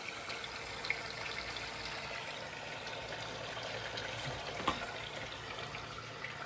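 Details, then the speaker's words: MKV Toyota Supra interchiller coolant loop, pump just switched on after refilling, no leaks: uneven gurgling, trickling and splashes instead of smooth fluid rush; lots of air trapped, loop likely not completely full. "Oh, yeah. I can tell there's a lot of air in there. You can hear it. Cuz normally it wouldn't make that bubbling sound."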